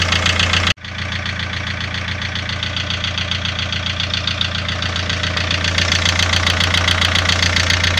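A steady idle with a sharp, regular knock of about two to three per second riding over it; an engine knock at idle whose source is unknown.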